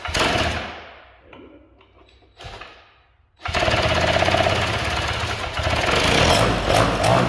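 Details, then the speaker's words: 1979 Sno-Runner two-stroke, sat for years, started with a drill on the recoil nut and a makeshift fuel line: raspy catch, stumble and die, then fires again and holds a busy, even run with small rev swells; normal running. "that sounds mint that's I can't believe that"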